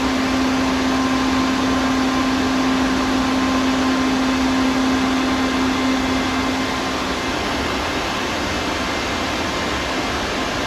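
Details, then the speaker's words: Used Hydrovane VSD vane air compressor, 25 horsepower at top speed (10.5 hp at lowest): steady heavy rush with clear hum that drops out near seven seconds; running at full speed. "and then top speed you can hear the difference this is all uh 25 horsepower"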